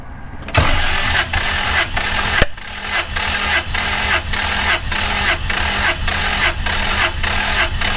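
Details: Toyota 5VZ-FE 3.4L V6 compression test on cylinder 3: ignition disabled, no fuel, plugs out, throttle held wide open. Even cranking chug of about one pulse per half second, reading about 210: normal cranking compression.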